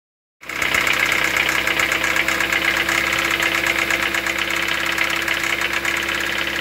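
Rapid light knocking at idle, roughly three to four taps a second over a tinny engine note: an internal engine knock. Cause suspected, not confirmed.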